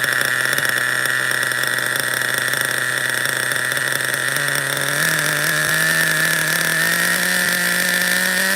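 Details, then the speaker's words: Schumacher XTR-3E nitro stadium truck with a vintage three-speed gearbox, first fire-up, slight air leak suspected. Steady high buzz under load, then the pitch drops and climbs as it shifts cleanly into third, before running out of fuel. "it hit the three okay shut down we ran out of fuel guys it hit the three-speed I heard it you heard it did you hear it I heard it"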